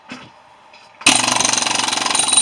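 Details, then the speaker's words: Air hammer used to open a central air unit copper compressor: rapid sharp hammering, about twenty blows a second, sounding light and thin rather than punchy; not enough pressure, and the owners suspect the Goodyear air compressor is faulty. "yeah these big compressor or yeah compressor Motors they're kind of a pain but well worth it no there's not enough pressure for some reason"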